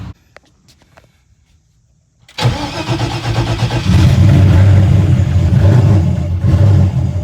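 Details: Car after new wastegates (old diaphragms broken, overboosting): quiet, then the engine catches cleanly and settles into a strong, even rumble with a slight rev; normal start and idle.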